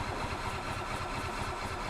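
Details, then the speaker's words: 2005 Club Car Precedent gas golf cart, stored a year and then parked, cranked in service mode, neutral, at full throttle. A long steady starter chug before it fires, and it dies when the choke is released. Suspected blocked carburetor or poor fuel flow. "in all the way you can see how long it takes for it to actually fire up there it goes"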